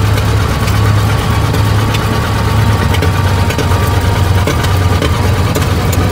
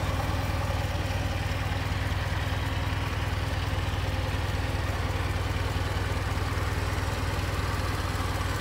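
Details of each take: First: 1920 Ford Model T barn find that sat about 10 years, first start, hand-choked while the timing is adjusted: lumpy, uneven idle on only one or two cylinders. Stuck valves and low compression on one cylinder cause the misfire. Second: 1920 Ford Model T barn find, reassembled after freeing stuck valves: steady low chuffing idle at about two beats a second, even and unbroken with no knock or miss; normal idle, timing noted slightly off.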